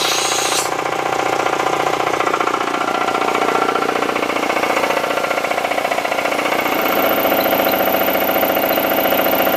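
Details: Air compressor pump after temporary repair of the tank's one-way check valve (cause of air leak under pressure switch), refitted: fast even clattering chugging, about 220 beats per minute, steady; normal running.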